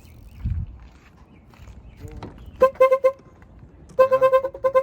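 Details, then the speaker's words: 17-year-old Infiniti G35, horn tested with battery reconnected after clock spring replacement: two short steady mid-pitched toots, horn working normally. "Yeah, there we go. Back in the game. Got the horn."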